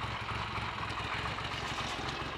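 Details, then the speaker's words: Triumph Trident T150V triple, owned since 1982, started after standing over two years with points, plugs and carburetors untouched; an even, steady low burble at idle with no misses, knocks or hunting, a healthy idle. "there are only two things that can sound like that triumph tridents and bsa rocket freeze and their variants"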